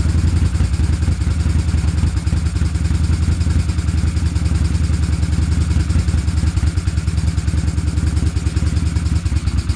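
Lumpy idle at about three pulses a second with an uneven, stumbling beat; one cylinder sounds like it's dropping out.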